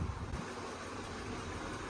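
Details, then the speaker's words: Cheaply bought Mini Cooper running just off the trailer; low, lumpy, surging idle that won't settle. "It is running pretty poorly, as you can tell."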